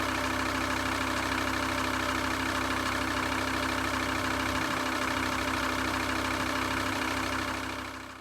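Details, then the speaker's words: VW T4 2.5 TDI van idling with auxiliary belt removed: steady rhythmic thrum about three beats a second; pump knock eliminated but serpentine belt vibration persists, cause unknown, tensioner suspected. "It's eliminated the noise from the power steering pump noise that it was making, that like clicking, knocking kind of sound. So we've eliminated that, but we haven't eliminated this vibration on the auxiliary belt, on that serpentine belt."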